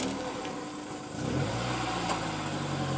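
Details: Honda S2000 while driving: engine and road drone with a low hum swelling as speed rises, caused by a bad wheel bearing assembly, fixed by replacing it.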